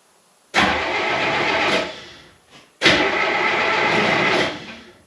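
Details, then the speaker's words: Gehl skid steer diesel after its wiring was restored to the diagram: two long cranking bursts with a steady churning whir and smoke but no start yet, so more glow plug time is needed before it fires. "Whoa. Well, she's smoking. Give her some more glow plug."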